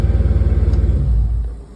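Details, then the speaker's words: Dodge Charger after repair of P0340 camshaft position sensor fault (sensor replaced, broken connector pins rewired); formerly long cranking: quick even firing pulses settle to a smooth steady idle; now fires right up. "and as you can see, because at first it was starting up and it would take a minute to start. So now it fires right up."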